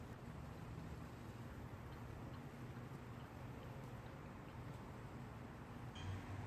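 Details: Ryobi two-stroke string trimmer after carburetor service and replacing a broken primer bulb, stored for years: buzzing steadily at an even idle, no misses, stumbles or hunting; running normally.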